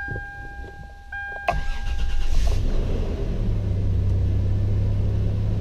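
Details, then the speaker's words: 1996 Toyota 4Runner 3.4L V6, manual, after its crank-no-start fault was repaired and the ECM reinstalled. Chimes, then it cranks, catches quickly and settles to a smooth, even idle; the check engine light goes off. Normal start and idle. "okay awesome vehicle starts right up check engine light goes off"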